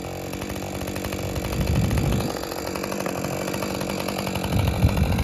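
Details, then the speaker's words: Husqvarna 550 XP Mark II chainsaw that was bogging down, running while cutting wood: high, slightly thin scream, revs hanging up instead of pulling down fully; sounds slightly lean, cause unconfirmed. Slightly lean running. "it sounds a little bit on the lean side when I got away from the woods the second time when I rested on my thighs"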